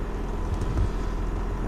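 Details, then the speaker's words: Nissan Hardbody truck engine idling cold with no coolant in it, just after a fresh oil change: rattled badly at first start but now runs amazingly quiet, a low even rumble with no chain rattle or ticking; normal idle. "it sounded really really rattled when I first started the very first time I heard this truck but now I fresh oil change amazed how quiet it is but just run soap so good"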